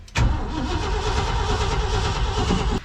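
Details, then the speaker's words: 1990 Ford F600 that had sat unused, in neutral, with carburetor issues: steady, strong cranking for about three seconds on a good battery, but the engine never catches; crank, no start. "a whole lot of nothing uh I can tell you one thing with batteries we put on this thing cuz it's just been sitting in here since we've moved it that sucker is a good battery cuz she just crank crank crank crank cranks"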